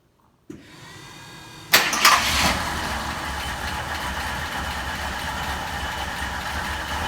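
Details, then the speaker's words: Old Jeep J-truck V8 with a newly fitted remanufactured carburetor, cold start after sitting: a brief crank, then it catches at once and settles into a steady, even idle with no misses; healthy cold start. "give it a little throttle I bet the choke will kick on cuz it's been sitting there you go"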